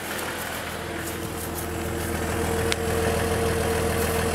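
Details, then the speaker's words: 2000 Jeep Cherokee XJ engine at the tailpipe, just started after lifter replacement for a worsening lifter tick; steady even idle with no misses or stumbles, running smoothly on all cylinders, minor lifter tick while lifters pump up — normal idle. "doesn't sound like it's missing sounds good"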